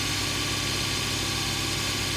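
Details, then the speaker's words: 2006 Suzuki Vitara during MAF/MAP sensor testing, engine held at 2000 rpm: even hum with airy intake rush and no misfire while MAF voltage and grams per second rise slightly; sounds healthy. "so go ahead Anton bring it up to 2000 [Music] and here voltages increasing slightly shows the grams per second"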